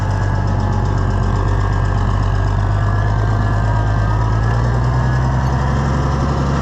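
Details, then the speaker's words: Oliver 1650 tractor engine after governor replacement and adjustment: even deep drone holding constant speed without hunting or surging; governor responds right away; engine has a slight tick, old governor pieces may remain in the pan. "responds right away. It's as good as we can make it today."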